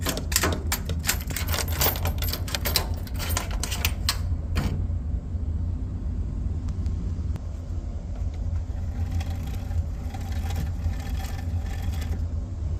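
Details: Samsung dryer: rapid, irregular ticking over a low drum rumble for about four seconds, then just the rumble; noisy dryer, cause unclear.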